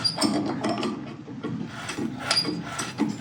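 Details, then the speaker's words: Kohler engine on a Miller Bobcat welder-generator turned over slowly; irregular clicks and rattles in bursts from the flywheel; magnets have come loose inside the flywheel, one still holding. "To me, that sounds like we have some stuck magnets. Yep. The classic Kohler, I will say."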